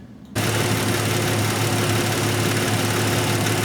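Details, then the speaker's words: Nissan Maxima after replacing a faulty fuel injector: steady even idle with smooth low hum, no skips or stumbles; misfire gone, normal idle. "so we got the injector back in on this Nissan now I have it running already I want you guys to listen to it our misfire is definitely gone"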